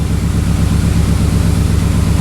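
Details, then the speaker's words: 2003 Pontiac Vibe GT, after swapping the number two and three ignition coils to test for a bad coil: heavy, lumpy idle with an uneven low thud that keeps stumbling; the misfire persists. "let's fire this thing back up see where my mfire went it's still misfiring it didn't fix itself dang"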